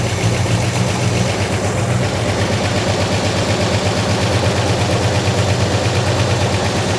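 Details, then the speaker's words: 1971 Plymouth Road Runner V8 idling after oil reached the rockers, carburetor diaphragm stuck and needing rebuild: steady, even low rumble with no lifter ticking or top-end tapping; normal idle. "Yeah. All right, I'm just sitting here jacking around, but it sounds good. I mean, it sounds no I didn't hear no ticking."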